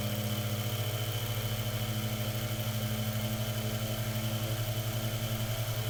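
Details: Mainstays 9-inch high velocity fan on high after cleaning, oiling and blade balancing, blade perfectly balanced; steady even hum with a gentle regular pulse and no scraping or rattle; motor runs smoothly.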